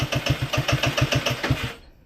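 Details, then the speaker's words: Scooter stored longer than the rest of the fleet, no accelerator pump, cold, unchoked: quick cranking pulses about six a second catch weakly under two seconds with tailpipe smoke and die; needs choke. "Y'all heard that? It just sputtered. All right, let's keep going. Got smoke out the tailpipe."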